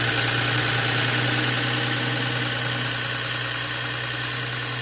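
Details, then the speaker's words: 2020 BMW X5, towed in as a no-start that seemed locked up, after spark plugs torqued and coils installed: engine catches and settles to steady even idle, constant low hum, no grinding or clatter; runs normally. "Alright. There we go, guys. It is a cranking, running engine."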